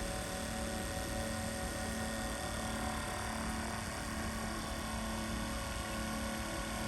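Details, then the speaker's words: X-ION MAX RO water purifier pumps, as the waste valve is turned down and the system pressurizes: steady even drone, constant hum, no knocking or surging; normal pump operation. "But as I turn this valve down, you'll hear them start to load up. And what you'll see is this float valve will start going down, this will start going up, and the pumps will start working harder."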